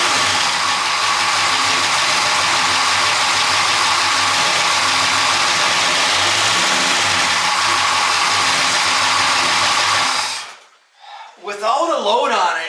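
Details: Car engine with a popcorn-like rattle, running steadily before shut-off: busy, rattly upper clatter throughout; owner checked loose parts, bearings and timing chain, replaced the water pump unnecessarily, and traced the rattle to one unexpected component.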